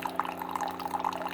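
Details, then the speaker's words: Keurig coffee maker, reported as not shutting off water, brewing a cup: steady pump drone with strong, even flow into the cup, nozzle not clogged; the reservoir level drops as the cup fills. Normal pump operation. "that's coming out of a pretty good speed so the nozzles not clogged I don't know if you can see it but the water level is dropping cups getting full"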